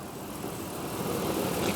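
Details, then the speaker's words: 2008 Dodge Ram 1500 SLT, V8 with 6-speed manual, 55,000 original miles, fresh synthetic oil service, hood open: even, smooth idle with no abnormal ticks or knocking; normal healthy idle. "And yeah, you can just listen to it idle. There's no abnormal ticks or anything. It sounds great."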